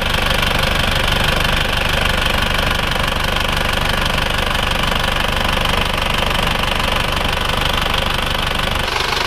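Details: Isuzu Panther (NHG) diesel idling after an engine overhaul with original liners. Steady, even clatter with an unbroken rhythm and no misses or heavy knock. Smoke now minimal and the earlier blow-by is gone; repair confirmed successful.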